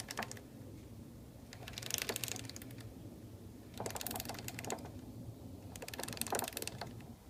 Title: Honda cb919 knocking sound